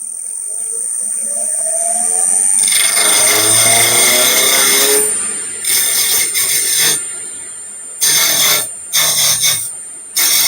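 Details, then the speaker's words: Lathe turning an out-of-round blank in a chuck with serious run-out: motor spins up with a rising whine, then choppy rattling cutting bursts start and stop as the tool bites; the sound lowers as the piece approaches round. "you can hear the the sound getting lower and lower as it passes by as you get closer and closer to the to be around the sound as well"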